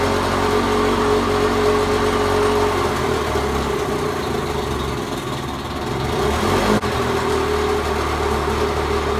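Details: 1986 Mercury 35 hp two-stroke outboard after carburetor fine adjustment and a raised idle, idling in forward gear: even, steady low burble with no misses or knocks; normal idle.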